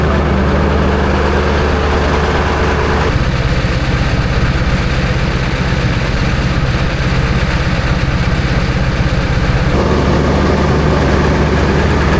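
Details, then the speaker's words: Daily-driver diesel truck cold start at 18°F, glow plugs never serviced: heavy diesel clatter at a loping idle that wobbles a little in speed. Rough cold idle; the owner guesses about half the glow plugs work. "I'd say the old gal did pretty good."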